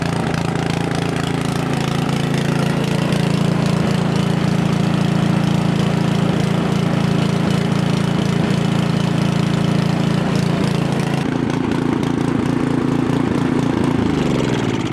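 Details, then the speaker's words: Craftsman 900/22 single-stage four-stroke snowblower started cold on choke with primer, carburetor leaking fuel: chugs with uneven loping beat, then note shifts and winds down; rough running from leaking carburetor. "all right so there you have it guys so you can see it's running a bit rough"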